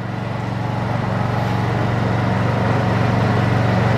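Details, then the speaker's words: Brand-new Honda EU2200i inverter generator converted to propane with a Hutch Mountain kit, never run on gasoline, being cranked up to full speed: low steady hum with an even beat climbing slightly, quiet and smooth; normal running. "but it's on it's quiet let's crank it up full speed"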